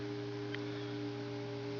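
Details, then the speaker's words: House central vacuum system motor heard at an upstairs inlet: steady droning hum with several fixed tones, unusual for this unit; cause unknown. "it usually doesn't make this noise so you hear it"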